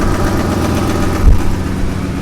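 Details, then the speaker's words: 2002 Ford F-250 5.4L V8 at idle; quick, light ticking on the engine pulses from a passenger-side exhaust manifold leak with no broken bolts seen, possibly also a lifter tick; before the manifold repair. "we can hear a little bit of an exhaust tick over on the passenger side now. And there might be a little bit of like a lifter tick or something as well that maybe we'll look at in the future."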